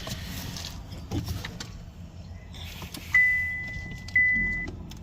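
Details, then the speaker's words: 2023 Chevy Malibu start attempt: only a couple of dash chimes and faint clicks, no starter whirr or cranking, engine light on; jump box to be tried; no crank. "So it won't start up at all. Nothing."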